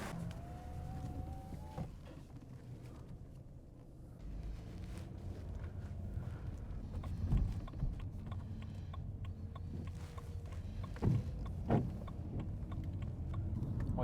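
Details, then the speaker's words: BMW E90 320i 2-litre four-cylinder petrol, old and neglected, test-driven after replacing both sensors and clearing codes: quiet steady low rumble under road noise while cruising, no knocks, misses or surging; drives nicely, no warning lights, some oil consumption considered normal. "can I say it's driving nice fine not a single light of course it has some oil consumption because it's an old petrol it's pretty normal on BMW petrol engines especially these small ones four-cylinder but you can't complain it's driving nicely has enough power"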